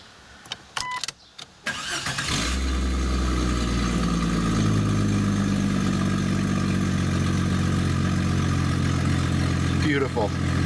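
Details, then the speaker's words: 1998 Jeep Cherokee with a hole in the exhaust pipe just before the catalytic converter: engine cranks and catches into a loud, raspy idle with a low, fast puffing rumble from the exhaust leak. "okay so this is a 98 Jeep Cherokee and there's a hole in the exhaust pipe right before the catalytic converter so we're going to do an engine startup and see what it's like to start this noisy"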